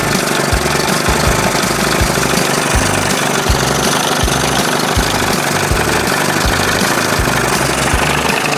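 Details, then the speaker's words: 1981 Evinrude 20 hp two-stroke outboard after powerhead flush and new thermostat and gasket, previously running cold; warm, fast busy idle with even burble and no knocks or misses; sounds healthy, minor tweaking left. "Well, don't sound too bad right [music] there. Little tweaking. Sounds good."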